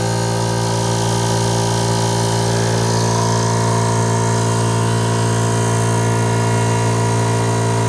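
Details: Air compressor in a woodshop/workshop running normally during a before/after noise test of a DIY enclosure lined with styrofoam, built from scrap MDF and plywood with a hinged door: loud steady motor drone with an even pulse of about three beats a second, no knocks or squeals.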